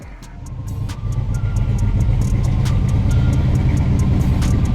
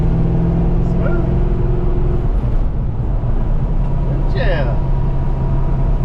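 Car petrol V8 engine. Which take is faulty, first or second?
first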